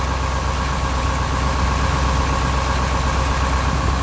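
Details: Detroit 8.2L diesel truck that recently started misfiring, smoking and losing power, idling with an uneven loping beat and a dropping pulse. Likely culprit is an injector, possibly cylinder three, after the truck was previously run out of fuel.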